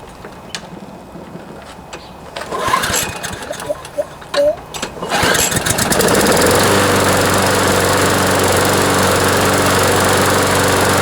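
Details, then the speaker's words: John Deere JS26 push mower with a Briggs & Stratton engine whose blade hit something hard, after a cable replacement and fuel system cleaning; it catches after a few pulls and settles into a steady drone. Improved, but still vibrating, likely from a bent crankshaft. "so that's an improvement anyways still feels like it's vibrating a lot i think they probably bent the shaft"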